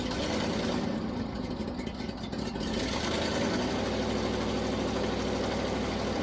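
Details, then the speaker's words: 1979 International Harvester ACCO 510A 4x4 truck, V-345 (5.6L) petrol V8, about 28,900 on the odometer, not started for about two weeks: catches and settles into a steady, even idle with a smooth low rumble, no misses or knocks; a normal cold start. "I'm just going to show you how how easy it is to start how well it runs obviously being uh what is it 3 352 I think is the number 352 V8 petrol she drinks a bit of fuel but uh but she she sounds lovely"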